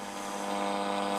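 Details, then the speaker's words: Columbus model 26P radio on an AM music station after dark: a steady high whistle and low hum over the programme, thought to be another station beating with it as the night-time layers shift. Not present during the day. "i think it's beating with another station somewhere we don't get that happening during the day but as soon as it hits dark and the layers all shift around"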